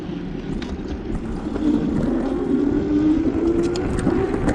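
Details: E-bike with a good front fork, ridden down the block for comparison with a bike whose fork rattles: a steady motor hum over tyre and road rumble, with no clunks or rattles from the front end.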